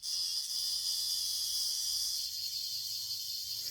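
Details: Old Hornby R857 BR Ivatt class locomotive motor after brush refit and stronger magnet, spun on a battery before gear oil: steady high-pitched whir for a few seconds then cutting off; spins freely — normal running.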